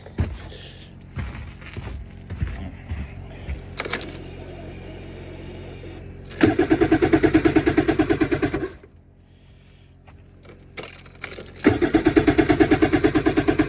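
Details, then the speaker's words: 2026 Ski-Doo MXZ Neo+ snowmobile at -6°F, usually hard to start below zero: two bursts of steady cranking about three beats a second never fire; cold engine cranks but won't start. "See if this thing will start up this morning. Usually has a hard time below zero."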